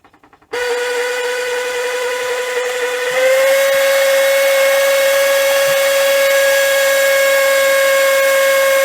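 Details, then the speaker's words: Panasonic NV-V8000 SVHS VCR from about 1990, after resoldering bad joints: steady fairly high whine starts abruptly and steps up in pitch; noisy tape mechanism, owner thinks the spool. "That's a bit noisy, isn't it? Oh dear. I think I think that's actually the spool."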